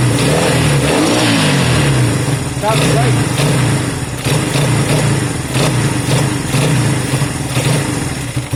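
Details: Honda CB200 twin just restarted after many months stored: steady even idle with quick throttle blips rising and settling cleanly, no misfire; normal.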